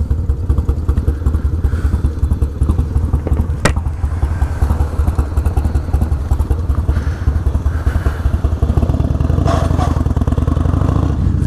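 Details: 1996 Harley-Davidson FLTSN V-twin idling with a deep, loping potato-potato beat at about two and a half pulses a second, steady and even; healthy idle.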